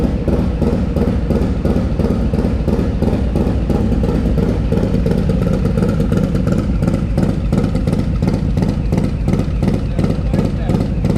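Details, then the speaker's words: Harley M8 Lowrider S with 131ci Stage IV kit, just fired up after swapping the SE 517 cam for a Cycle-Rama 512, still cold: crisp, even V-twin thump about three beats a second, no ticks or misses; normal idle. "So I'm pretty sure we're gonna make some more power, judging just by that note. That thing sounds so crisp."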